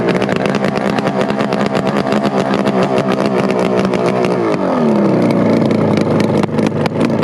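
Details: Kawasaki S1 550 four-cylinder motorcycle engine, first startup at a friend's house: loud, crisp note, fast even firing pulses, revs settling smoothly with no knocks or misses; normal running.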